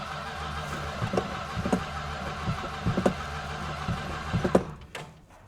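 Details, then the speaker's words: 1967 Plymouth Fury VIP, just after oil change and belt replacement (gas cap also changed; one wire found partly melted): uneven starter grinding with a few weak thumps, never running; owner suspects fuel starvation, cause unconfirmed. "I don't get it. And she's acting like she's not getting any fuel or something. I'm bamboozled."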